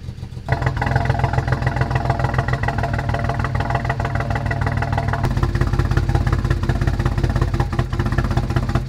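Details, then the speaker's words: BMW 335i, misfire on cylinders 4–6 persisting after MSD80 DME MOSFET repair: lumpy, uneven, clattery stumbling idle; owner suspects injectors, DME still possible, unconfirmed. "well I guess that settles it we definitely have more of a problem here than we originally anticipated"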